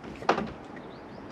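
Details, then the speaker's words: Peugeot 206 2.0 HDi XS, low mileage: sharp clack as the door starts to move, then a heavy thunk; the worn door hinge is starting to clack, a long-standing Peugeot fault. "mais on l'entend qui commence à claquer et ça c'est euh évidemment encore une fois un non progrès de chez Peugeot puisque c'est un truc euh ça faisait déjà 20 ans que qu'ils avaient ce problème-là et les 20 ans après ils l'ont toujours."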